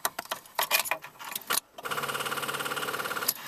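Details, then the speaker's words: Car with a dead battery, tried before jump-starting: a few scattered clicks, then a fast, even chatter of light clicks with no cranking. The battery has only enough charge to click the starter, not to engage it or turn the engine over. "we can hear that the there's enough charge in the battery to try to engage the starter but it's only actually this somebody's only clicking it it's not even enough there to engage the starter and turn the engine over even a little bit"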